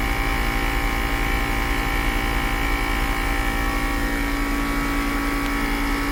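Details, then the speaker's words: 2010 Mercedes-Benz GL450 air suspension compressor, newer OEM-boxed unit, lifting front and rear after passenger-side airbag/valve body problem: loud steady droning hum with fast unfaltering pumping pulse, a tiny bit loud but fast; normal operation. "And it's pumping quite fast, which is good. This compressor is it is just a a tiny bit loud, but it does pump really fast."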